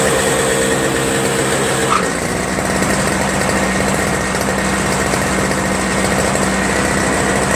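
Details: Toro Snow Commander 7HP R-Tek 24" single-stage snowblower, previously no spark; after reassembly, owner suspects an improved ground restored spark: single-cylinder engine holds a steady, even drone, no misses or surging; normal running.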